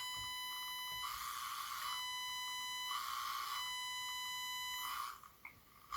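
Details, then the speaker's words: Electronics stethoscope probe held near a signal generator set to 1 kHz, on its GND lead: steady high buzz with a whine near 1 kHz that swells in stretches; switching power supply noise from the generator picked up by the probe. "Ó, que é o GND, mas ele pega o ruído da fonte do aparelho, ó."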